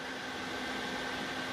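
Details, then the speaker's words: Lakhovsky MultiWave Oscillator pulse modulator (April 2019 version) just switched on, green power light: a steady airy whoosh with a faint hum, the cooling fan running normally; the unit must not be used if the fan is not heard. "First step is to turn it on. We see the power light on, green, and you can hear the fan blowing."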